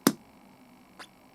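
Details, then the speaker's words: G-5 guitar practice amp whose internal amplifier was damaged after its speaker was blown while still connected: single sharp pop at power-on, then faint hiss and a small click, no audio output from input cable; power-on pop, amp dead. "there is a pop there, right, in the LED lights, which is interesting. But if I plug a audio cable in, nothing happens."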